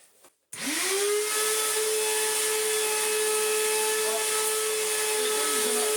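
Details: Restored Electrolux Z1910 Self Propelled vacuum cleaning a rug: motor spins up to a steady high whine with a harsh rough edge, loud and coarse; sounds terrible, worn motor bearings; post-motor filter pad working loose.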